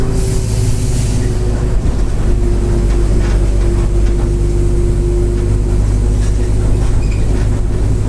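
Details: Grande Londrina 1110 Torino 2007 Mercedes-Benz OF-1722M bus, line 505 Expresso Vivi Xavier, Feb 2023, cruising: steady mid-pitched drone over low engine rumble, held for seconds, rear differential roaring loudly (worn differential gear whine).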